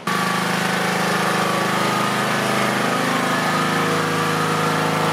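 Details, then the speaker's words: Lawn mower engine with 3D-printed TPU carburetor gasket, mowing: loud even buzzing firing beat under load, no misses or coughing. "oh by the way the mower did fine i know never had any coughing or anything so i don't think there's going to be a problem with the seal of the gasket"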